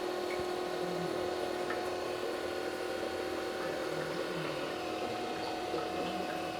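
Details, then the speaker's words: Automatic transmission flush machine draining about 13 litres of used oil through an external hose, apparently on a separate pump circuit: steady, even hum from a different area of the machine with faint liquid sounds, flow seeming faster; running normally. "Actually, I can hear the humming sound is in a different area Yeah. of the machine."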